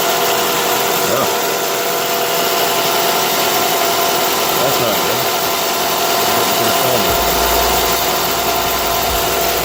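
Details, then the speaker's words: Nissan Altima at cold idle, around minus 23, hood open: a steady high-pitched power steering pump whine from low, foamed fluid after a cold-weather leak. It was topped off with Marvel Mystery Oil and later went quiet. "Really getting noisy. Hopefully the noise stops or goes down a bit."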